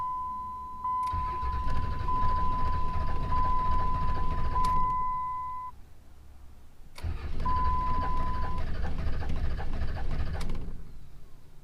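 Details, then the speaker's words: Salvaged Dodge Cummins diesel after a cam position sensor replacement: two long cranking bursts, puffing and thumping unevenly, never catching; codes P2509 and P0341. Owner wonders whether too-early injection explains the knock and white smoke, but doubts it. "It would make sense for that, what almost sounded like a pre-detonation, for that knock, and then it would make sense for the white smoke."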